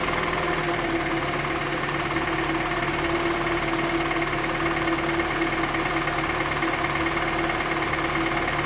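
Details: 2013 Toyota Venza 2.7L, first startup after engine reinstall, no coolant, brief run: steady idle with a faint hum and a light irregular rattle underneath; the balance shaft, a known issue, is suspected, not confirmed.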